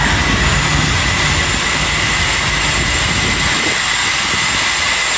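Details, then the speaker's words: Boeing 747 on ground, flaps 1 selected: inboard and mid-span leading-edge flaps extending via bleed-air-driven pneumatic motor; steady even rush of air with faint high tone, bleed air hissing into the motor, normal. "that hissing sound you hear is the bleed air blowing into the pneumatic motor"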